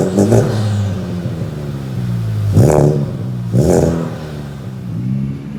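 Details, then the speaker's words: Type R turbo with USR downpipe, stock front pipe, 5-inch Magnaflow muffler replacing resonators, 3-inch straight piping, no codes after 2000 miles: low steady idle, deep exhaust, two quick clean revs, no misses; healthy. "I'm gonna show you guys what it sounds like with a cold start, and then I'm gonna let you guys let it warm up a little bit, show you guys what it sounds like when it's warm. I'll rev it up a little."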